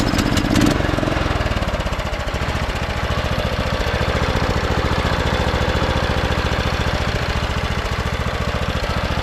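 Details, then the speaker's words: Craftsman T1200 riding mower rescued from the scrapyard, after repairs and oil topped off: steady even putter at constant idle with regular firing beat, no knocks or misses; runs smooth, normal idle. "topped off the oil but let's Crank It Up let you guys hear it runs super smooth now"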